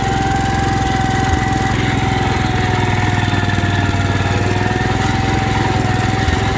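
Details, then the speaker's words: 1972 Wheel Horse Raider 12 lawn tractor, revived after sitting 15 years in a shed, idling in a basement: an even, steady single-cylinder chug with no stumbling. Before, it would die when idled down; now it idles cleanly and holds speed. "Remember before we couldn't idle it down because it wanted to die? That's doing much better."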